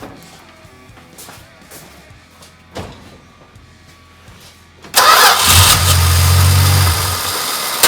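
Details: 1974 Dodge Dart Swinger after a no-crank, no-click fault; relay contact taken off and refitted. Quiet start, then the starter spins the engine strongly and evenly. Normal cranking.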